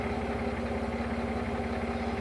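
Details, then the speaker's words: 2000 Jeep Wrangler 4.0 with budget electric cooling fan replacing a failed fan clutch that caused overheating, idling with temperature holding around 210: smooth even fan rush over steady idle, no rubbing or wobble; fan working normally. "it'll actually drop with that fan so it won't stay on all the time that thing's moving enough air where it will drop down and the fan will kick off"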